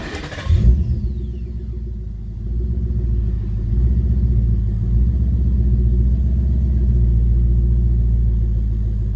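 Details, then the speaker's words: 2012 Ford Mustang GT V8 starts and settles into a steady deep idle with an even low rumble, previously rough idle with check engine light, after cleaning with throttle body cleaner. "all right so already it's kind of seems like it might stabilize"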